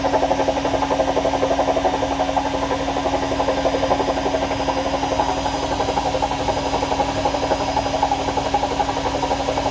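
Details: AEG washing machine during spin: quick steady rattle about four knocks a second over the motor hum, something loose chattering as the drum turns.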